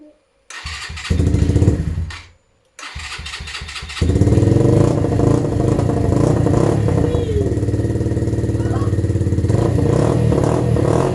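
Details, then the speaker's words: Hero Bullit 125 single-cylinder motorcycle just after catalytic converter removal, before OBD check: catches after a short crank, settles to a steady even beat with a slightly louder, throatier exhaust; runs clean, normal running. "ce qui est sûr c'est que au niveau du bruit on a un petit peu plus de décibels mais au final je trouve c'est pas plus mal parce que quand on est en circulation personne nous entend"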